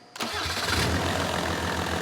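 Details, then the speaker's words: Mercedes OM606 diesel, freshly fitted calibrated 7.7 mm injection pump, preheated: brief crank then very hard start into rough, lumpy uneven idle; traced to a sticking injector misfire. "so very very hard to start now and this is a 7.7 mil pump you can see"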